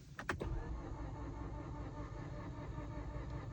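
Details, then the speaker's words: Mazda recovered completely dead. After DTCs were cleared, the starter cranks evenly but the engine never fires. The mechanic suspects no compression and plans to put oil in the cylinders; the cause is unconfirmed. "Sounds to me like there's no compression, which is extremely weird because, you know, it shouldn't have an issue with that, should it?"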